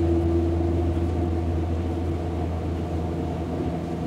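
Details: Hamburg U-Bahn DT5 343-1 train running: deep steady traction drive hum with thin constant whistle above; whistling noise, possible motor wear, unconfirmed.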